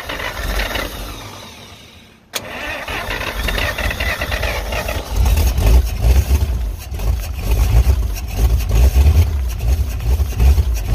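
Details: 1951 Pontiac Chieftain first start in revival, no radiator, on electric fuel pump from 12 V boat battery, 6 V system: cranks, catches after two seconds, loud rough uneven idle with raw chuffing from broken-off exhaust pipe.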